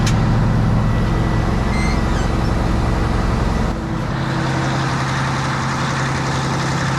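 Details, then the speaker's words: Diesel scraper at about 1,300 rpm with the A/C on high fan and cold, after topping up low refrigerant: a steady mid-speed drone until the compressor hum drops out. The A/C is short cycling and not cold enough, cause not yet confirmed. "so there's something wrong here it's uh cycling off and she's not freezing up i mean it's blowing cold air but it should she should get a lot colder than that"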